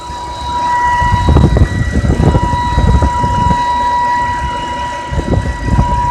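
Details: 2010 BMW E90 325i: clear steady high whistle-like whine over low thumping rumbles, comes and goes, disappears after engine restart but returns next day; intermittent engine whine, cause unknown.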